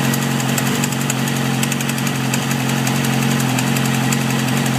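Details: 2007 Yamaha R6 idling, recently had valve adjustment, plugs and oil change: loud sharp ticking about three to four per second that started quiet and grew louder; owner suspects cam chain tensioner or low oil, unconfirmed.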